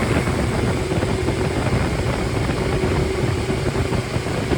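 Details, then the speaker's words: Completely rebuilt 1500 four-cylinder engine (called MG Midget and Triumph Spitfire 1500, no. FP22382UE) with new flat-top pistons, reground 270 cam, duplex timing chain, 9.5:1 compression: a strong, even roar at raised revs with no knocks, misses or rattles. Normal revving. "and uh it's just been completely gone through. It's a like it is very smooth."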